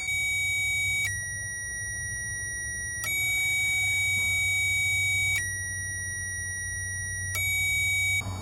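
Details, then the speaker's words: 2007 Chevy Express 2500 van, 4.8L V8, no-crank no-start: during cranking, power probe tone flips between two tones as the starter relay output switches from ground to power; relay and circuit work, starter motor suspected. "well there you have it guys proof that the relay is working and everything else in the system is working"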